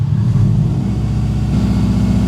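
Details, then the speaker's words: Subaru WRX bought broken after sitting unknown time, with possible stale fuel and an empty radiator missing its cap. It earlier kept shutting off, suspected electrical. Now it idles on its own with a steady, even growl, no smoke or radiator bubbles. Normal revving. "So, well, it's idling on its own and it sounds good."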